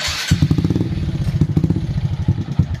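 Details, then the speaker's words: Honda Supra X 125 single-cylinder, misfiring and lacking power, valve tapping present: lumpy, uneven popping beat after start with irregular dropouts; suspected cam timing (top timing) retarded, cam chain sitting late. "Nah dari awal yang dari awal motor ini datang Saya sudah mulai curiga di bagian timingnya timing ini Sepertinya di Top timingnya yang tidak tepat"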